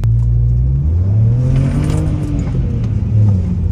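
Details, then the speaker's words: Warmed-up BMW petrol engine test drive after injectors were reinstalled to fix a misfire/limp mode: pulls hard and smoothly under acceleration with a deep, steady, even exhaust note; normal acceleration. "look at that this thing actually pulls now"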